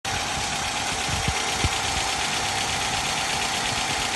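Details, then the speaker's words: Hyundai Accent, about 250,000 km, warm engine found with only about 1 L of thick oil and a cracked filter anti-drainback valve: dull uneven knock a few times a second at idle; rod bearing knock. "все понятно моя деятельность том чтобы разобрать показать вердикт диагноз такое что застучали шатунные вкладыши"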